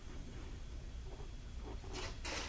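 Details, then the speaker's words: Leak-down test on cylinder two after block sealer head gasket repair: low steady rumble with gurgling, hissing bursts as air escapes and coolant bubbles out; slight improvement but the head gasket still leaks into the cooling system. "can hear the coolant bubbling out so it's not holding very well at all even though there is some improvement it looks like on the leak down it's not enough to feel the gasket you can definitely hear i'm sure the air escaping through the coolant"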